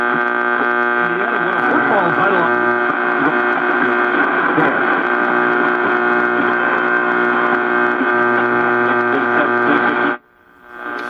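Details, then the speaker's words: Zenith J504Y lunchbox radio, chassis 5J41, under repair: loud steady low-pitched hum constant for ten seconds then cutting off suddenly; also heard the day before, believed not from the radio, source unknown. "That noise was on the radio yesterday as well, so I know it's not the radio."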